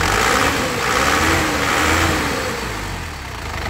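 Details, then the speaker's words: 2007 Isuzu Panther LS Turbo diesel, about 103,000 km with a dry engine and no oil seepage, runs steady and even through a light rev with no tapping or misfire; healthy engine. "Dan ini ang tidak pincang tidak goyang tidak pincang tandanya mobilnya sehat ya ya ini masih enak"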